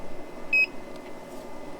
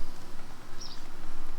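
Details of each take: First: New Snowmaster Traveler Series fridge-freezer on Yeti Goal Zero 400 DC power, unit very hot after direct sunlight, 12 V fuse intact: beep then single dull clunk as compressor starts, repeating; cause unknown, owner unsure if overheating. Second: Snowmaster Traveler Series fridge-freezer running on AC power after DC power failure with Goal Zero 400, fuse fine, reading 20 °C: quiet steady compressor hum with slight flutter, cooling normally.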